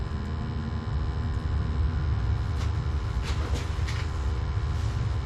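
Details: Gas water heater after its upside-down flue was corrected, burners lit during combustion and draft testing: steady even low roar, no flutter, popping or surging; stable healthy flame, normal operation.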